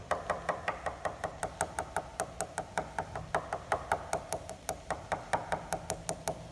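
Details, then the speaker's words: Pencil tap test across a glider wing: quick, even taps, some turning duller at the middle of a dent where the outer skin has come away from the foam core; repair means removing and replacing the skin. "hear that tone change that's the middle of the dent and you hear a big change there and that's where the outer skin of the winged skin is no longer attached to the foam inner"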